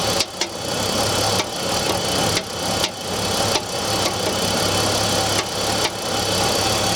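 Sharp knocks land about once a second over a cold, busy idle, not quite evenly spaced; cold-start knock with no known cause.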